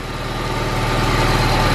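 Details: Honda K20 engine-swapped car at warm idle, fan switch plugs flipped after wrong wiring: a rising airy whoosh builds over the engine as the radiator fan kicks on and works normally.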